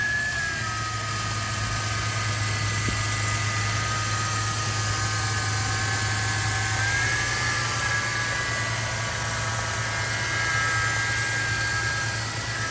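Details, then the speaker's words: Toyota FJ Cruiser, about 16 years old, 4.0 L V6, idling with hood open: smooth steady low hum with faint periodic clicks as the AC cycles on and off; clean engine bay, healthy idle. "looks good. Yeah, it sounds pretty good."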